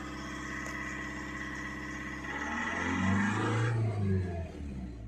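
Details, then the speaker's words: Skoda Rapid 1.6 TDI diesel that had severe vibration, knocking and a check-engine light, after completing the diagnostic injector adaptation procedure. Even, steady diesel clatter at idle with no misfire. Normal diesel idle. "ये procedure अभी complete हो गया और गाड़ी का आवाज़ भी एकदम स्मूथ हो गया।"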